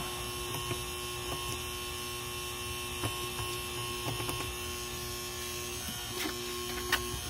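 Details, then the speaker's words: Used Rain Bird Professional sprinkler controller, plugged into mains. A faint, thin steady ring over a low hum, with clicks; the owner thinks the sound comes from the transformer and says it doesn't sound good. Cause not confirmed. "the sound that it makes it sounds like the sound is coming out from the transformer and so that yeah it doesn't sound good"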